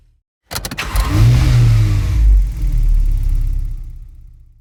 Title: Car Cranks Won't Start